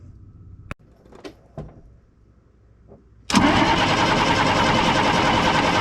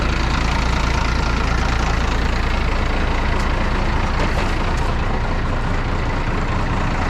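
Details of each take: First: 1995 International 4700 dump truck, DT466 diesel starved of fuel during tank leak repair, filters pre-filled: after a few clicks the starter spins it at a steady three-odd beats a second but it never catches; crank no start, fuel system not primed. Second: 1995 International 4700 dump truck, DT466 diesel, first run after about a week sitting and fuel-system priming following starvation: deep, even idle with steady low rumble, no misses or knocks; running smoothly after the no-start.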